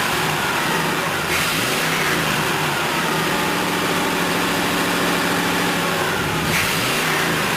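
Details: Rebuilt C2/C3 Corvette chassis V8, cooled by hose water pumped through intake manifold and water pump: catches, revs rise and fall smoothly with clean, even idle between blips; nothing amiss.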